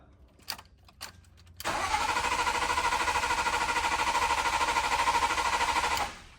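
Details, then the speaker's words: Hurricane flood-salvage BMW Z3 M Coupe with S54 engine, on a jump box: strong even cranking about three compression beats a second, never fires, tach not moving; no crankshaft position sensor signal. "That's some healthy cranking, but no spark or no fuel. Okay. Does the RPM moves when you crank? It does not. Okay. Okay. So what does that mean when the RPM's not moving while I crank? Looks like you have no pulse from the crankshaft sensor."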